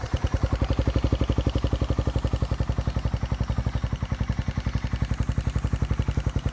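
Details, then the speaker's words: Motorcycle "Victoria" with stock Tsukigi pipe, back running: even regular idle around eleven pops per second, no knocks or rattles; owner says any ticking is just the carburetor; healthy normal idle. "Carb lang yung naririnig nyo na Lagitek, guys. Tahimik na yung Victoria."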